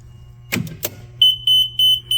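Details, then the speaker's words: Control panel after a shorted 24V control circuit was traced to a faulty drive, now replaced: a couple of clicks, then a clean high beep repeating four times, evenly spaced. Normal power-up beep. "이거는 삥삥삥삥. 잘 돌죠. 아싸 고쳤다."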